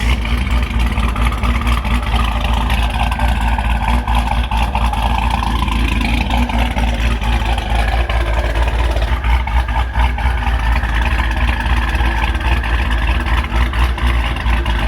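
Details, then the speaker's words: Hellcat Charger V8 with Hellion twin turbo kit after exhaust leaks were fixed: deep, even revs rising and falling cleanly with faint turbo whistle, no ticking; normal revving with turbo whistle. "You guys hear how quiet the motor is? Listen. Wow, you can hear the turbos more and everything. This thing sounds ridiculous."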